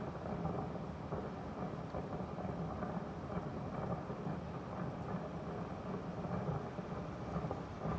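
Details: Daikin Urusara AN40PRP-W air conditioner: loud, irregular bubbling and rumbling churns on without a break, like water boiling inside the unit; the owner thinks it is water. Cause not confirmed.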